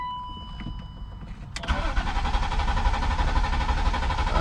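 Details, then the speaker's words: BMW E36 convertible after oil pan replacement, fresh oil, fuel pump fuse pulled to dry crank and build oil pressure: chime then even steady cranking without firing, no knocks or binding; normal. "all right so the oil's in we pulled the fuel pump fuse so we can just dry crank it build up oil pressure so we're gonna go ahead and do that now"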